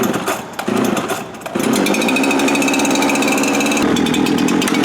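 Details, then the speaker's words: K12 cut-off saw started with choke out, then choke in: catches after a couple of pulls and settles into a steady, even buzz with no misfire or surging; normal running while warming up. "Let it warm up, good to go."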